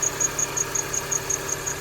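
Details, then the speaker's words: R53 Mini Cooper S at idle after replacing belt tensioner, idler, tensioner and crank pulleys: sharp high chirps about five a second, a remaining belt squeal, quieter than before; source unknown, with power steering, AC compressor or water pump the suspects left. "start it up there's still a little bit of a belt squeel I'm not even 100% sure what it is no idea what that is"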